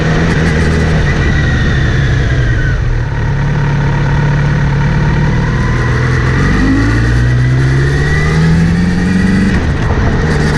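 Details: Kawasaki Z900RS: after cleaning and relubing the chain, a steady whir rising in pitch with speed over the engine note when accelerating or in gear, seemingly from the front sprocket area; chain clean and tension OK, cause unknown.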